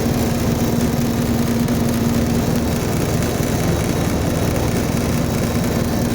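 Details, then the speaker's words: Reefer truck chiller blower fan after replacing worn carbon brushes that had blown the fuse: even, constant low drone with no surging, catching or alarm; normal blower fan operation. "oh Ayan po ang kanyang pint umaandar na po"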